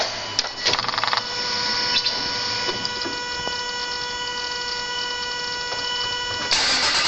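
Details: Land Rover 4.4 V8 cranking: uneven whirr with a thin, ringing whistle on top, and the engine never catches. An abnormal noise while cranking whose cause is not yet known.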